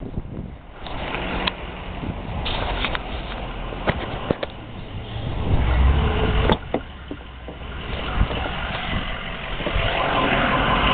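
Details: Toyota 7M-GTE inline-six long block sold as 100% good, running with a rough, uneven knock; suspected rod knock, not confirmed.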